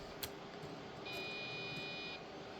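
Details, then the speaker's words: Retro PC being tried for Windows 95: a short electronic POST beep about a second long after a RAM stick goes in; board rejects it in the third slot, a stick tested in the first slot worked, suspected bad slot. "It's something it doesn't like. The third one is not happy about. Right, I tested the other one in the first slot, and it worked. So maybe that slot's bad."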